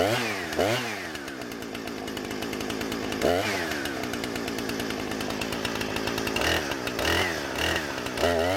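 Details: Husqvarna 455 Rancher chainsaw after an ignition coil replacement, which cured rough running after warm-up, making test cuts: it screams to full revs, bogs smoothly into each cut and recovers cleanly; no stumbling over a full tank.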